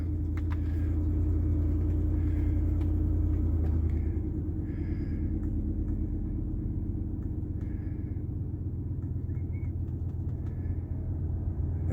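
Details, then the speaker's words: 2007 Ford Expedition 5.4L V8 after replacing the faulty blower motor resistor (vents weren't blowing): blower gives a steady low hum with even airflow rush, no squeal or ticking; front heat restored through all vents. "we go can you hear that there we go she's a humming so we finally have ourselves front heat again and she's working through all the vents"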